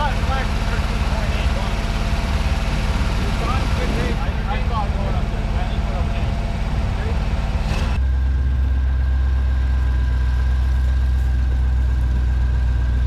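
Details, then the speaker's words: 1965 Ford 289 4-barrel V8 (225 HP) on engine stand, for a 1955 Ford pickup: engine blubbers and shakes when revved, then settles to idle; misfire traced to ignition points gapped incorrectly. "okay well you probably heard it uh blubbering a little bit there when we'd rev it up and start shaking and stuff uh what we found was that the uh points were not set right"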